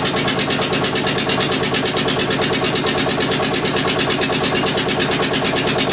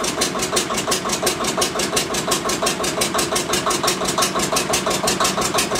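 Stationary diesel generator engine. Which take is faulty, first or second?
second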